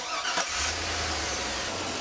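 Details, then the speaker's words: Petrol engine cranks, catches and settles into a smooth, steady idle with no squeal or grinding after the noisy air conditioning compressor's belt was left off, with only the main belt fitted; AC no longer works. "more noise, sure there's no AC, but hey it's winter anyways"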